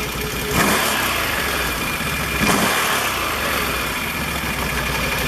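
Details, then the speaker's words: Can-Am ATV CVT clutch after slider shoe replacement (one-way clutch rebuilt, new belt): engine revs up and back down twice, smooth and clean with no clutch rattle, normal operation. "oh my god there's no noise that is amazing fifty dollars shuts all that rattle off"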